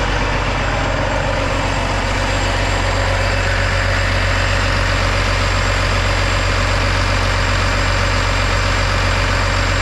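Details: Kenworth W900 ISX diesel started after a head job, check engine light expected to clear: steady, even idle with a firm low rumble and no knocks or misses; it sounds healthy.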